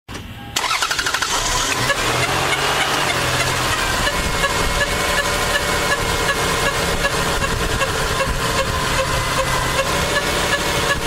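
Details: Lexus engine starting and settling into a busy idle with a light, uneven ticking on top; owner asks what the strange engine sound is, and the cause is unidentified.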